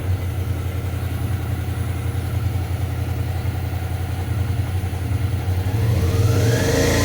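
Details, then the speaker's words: Suzuki V-Strom 650 twin after fixing a loose footpeg that rattled from engine vibration around 5000 rpm: steady low pulse, then clean revs without the metallic rattle, noise now smoother. "mas tá aí agora fica mais suave o barulho então fica essa dica aí para quem tá com esse problema"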